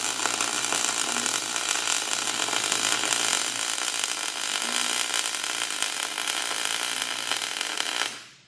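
Steady, even frying crackle for eight seconds with no pops or sputter, then it cuts off cleanly; a smooth, stable stick arc.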